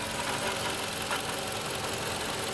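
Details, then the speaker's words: 2012 Toyota Camry idling: engine sounds good otherwise, but a light, busy metallic rattle over the engine note; rattle said to come from the right side, then the left side of the engine, source not pinned down. "the engine sounds good but there is a rattling noise that's what i'm thinking there is no issues or problem with the car but i just hear that annoying noise"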